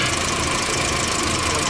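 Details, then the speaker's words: VW Jetta that arrived towed after losing power and stalling, substitute coil fitted, restarted: rough, shaking idle with an irregular stumble and crackly hiss. Spark jumps from the ignition wires, causing the misfire, and the wires need replacing. "ahí tenemos un brinco de chispa lo cual está causando la inestabilidad en el motor estos cables se tienen que reemplazar de acuerdo"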